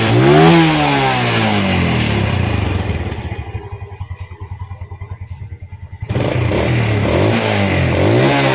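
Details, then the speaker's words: Small single-cylinder motorcycle (Vega/Jupiter/Mio type) after valve clearance setting by the running method and idle set to about 1200 rpm; blipped and returning to a steady idle with quiet, even valves, no clatter, normal revving. "OK, bro, I I think it's quite okay, that's it for this video, how to adjust the valve using the running method as I explained in detail earlier."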